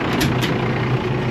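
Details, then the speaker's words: Allis-Chalmers diesel tractor with 3-speed power shift idling: steady, even low rumble with no knocking, just a couple of light clicks at the start; engine sounds healthy. "Not like it's banging and laying here knocking. All that sounds pretty good."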